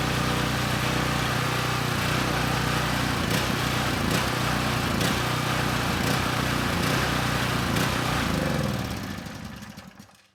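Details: Coleman Powermate Pulse 1850 generator (PM0401850, 1996 engine 93412-0136-01), long-stored, first start before repair; uneven hunting pulse about four beats a second before shutting off, needed half choke, rough running from dirty carburetor; still makes power for about 1500 W.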